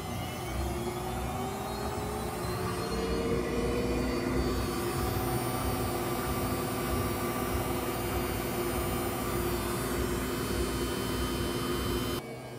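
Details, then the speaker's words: Whirlpool front-load washer that only does a weak spin on regular cycles, forced via diagnostic mode (clean washer, start pressed four times, step two) into drain and high-speed spin: motor whine climbs then holds smooth at full spin, normal high-speed spin. "you just go into diagnostic mode clean washer shut the door go to clean washer hit the start button four times and then you can advance it to number two and then it'll go into drain and high speed"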